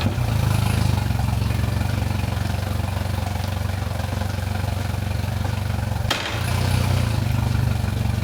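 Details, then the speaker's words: Mercury Pro XS 115 hp 2.1L outboard after 100-hour service with lower unit removed and refitted, warming up, shifted forward and reverse: steady drone, brief dip on shifting, no grinding or clunking. "I'm making sure that works properly that we didn't knock anything out of place when we remove the lower unit there's no grinding there's no clunking everything sounds good to me"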